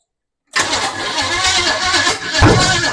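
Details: 1929 Ford Model A truck hot rod with a replacement engine, likely lacking fuel: starter spins the engine after a short silence but it never fires; timing suspected 180° out, later verified not.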